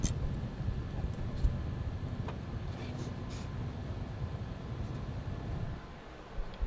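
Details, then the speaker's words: Gaming PC with an overheating MSI liquid CPU cooler, front cover removed: a rough, gritty low rumble like a pepper mill from the cooler's failing pump; the whole cooler is replaced with a Corsair H100i. "that grinding sound you're hearing is the the pump inside the cooler failing so what we're going to do is we're going to go through we're going to replace the entire cooler"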